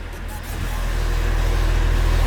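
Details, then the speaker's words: 1JZ Toyota Chaser converted to manual with reconditioned R154 gearbox and twin plate clutch: deep engine rumble with a loud fast even rattle, growing with revs, as the twin clutch plates float while the pedal is depressed in neutral. "it actually shocked me how loud the twin flight is because obviously twin plates make a lot of sound because when you've depressed the clutch the two plates are like sort of floating in between everything so you're gonna hear that weird like ra"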